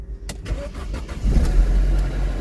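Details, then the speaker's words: Car at auction, cold start checked for timing rattle from the motor: cranks and catches quickly, then settles into a smooth, steady idle with no rattle; sounds perfect; normal cold start. "and that my friends sounds perfect so I think we got a good one here"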